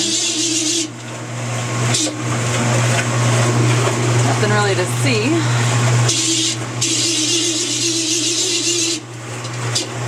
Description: My Amana washer is making this terrible screeching sound.